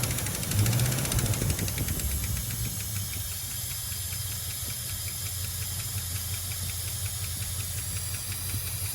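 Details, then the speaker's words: A 1976 Dodge Dart with a 318 V8, mileage unknown, idling with the valve cover off. Light, fast ticking over a low, uneven idle with some hiss, from one bank only: valve train ticking, suspected collapsed lifter or loose rockers. "there's there's clatter back and forth and that could be the noise because maybe more than one's doing it at a time"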